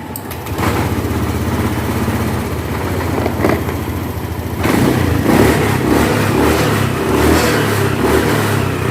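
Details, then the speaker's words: Honda Beat scooter after replacing the faulty TPS (throttle position sensor) and resetting it: engine idles steadily and revs up cleanly under throttle without dying, where before replacement it stalled when throttled; normal revving. "sekarang Coba setelah diganti perhatikan di sini teman-teman di sini juga ketika kita gas dia naik ya"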